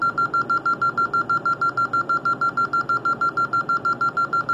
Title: Alarm Building 15 beeping dialer problems